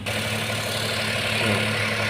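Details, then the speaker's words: 2012-2013 Daihatsu Xenia 1000cc, engine still cold, complaint of idle at 1000 up to 2000 rpm and shaking: steady, fast, even hum well above normal idle with no dip; high idle, cause not yet found. "cukup tinggi, teman-teman."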